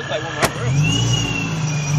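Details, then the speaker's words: Nissan G35 with Vortech supercharger and GTM pulley mod, first run on a base map: a high whine rises and holds as the engine revs. Owner notes pulley issues and squeal, planning a belt reroute. "now let me hear it wrapped this time it'll still squeal i just want to hear the blow about a little bit"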